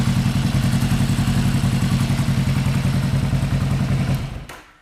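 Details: 1975 Yamaha XS500 twin before carb sync, running hot, idling around 1500–1600 rpm: steady thumping beat about 214 per minute that lopes slightly unevenly. Owner suspects the left cylinder pulls more of the load; unconfirmed.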